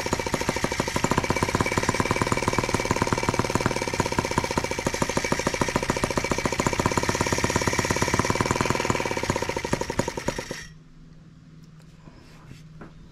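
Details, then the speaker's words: Brand-new TR1 tractor on its first start, running 40:1 fuel mix: sharp, rapid two-stroke popping with a ragged beat that sags and dies after about ten seconds. The carburetor still needs adjusting. Uneven running, then stalling. "to do some adjusting on that carburetor let's start it again i know we can't be out of fuel yet"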